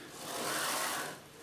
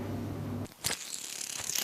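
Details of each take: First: Old CNC router carriage on recirculating linear bearings, slid by hand with the lead screw and stepper disconnected to check a suspected broken ball bearing: a smooth, even swish with no ticking or catching; the bearings sound fine. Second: Old CNC router revived after two years stored, linear bars soaked overnight in degreaser: gritty, crackling rasp as the carriage slides by hand, no smooth roll; recirculating linear bearing running rough, thrust bearing fine, replacement needed.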